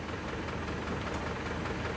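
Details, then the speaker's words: Isuzu Panther LS diesel as it arrived at the shop, blipped from idle, runs rough and limping with knocking clatter and chuffing; one cylinder seems not to pull, suspected heavily leaking compression. "gasan gas gas kelihatannya ada yang enggak ngangkat satu oke kemungkinan sudah ada yang bocer parah kompresnya ini"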